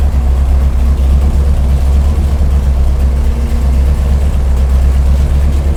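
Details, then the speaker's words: Big block Chevy 489 on dyno, first-time builders' engine: deep, lumpy idle with uneven beat and missing pulse; one cylinder dead, plug wire contact suspected; dead cylinder misfire. "got one cylinder that's not working. Let's check the wire."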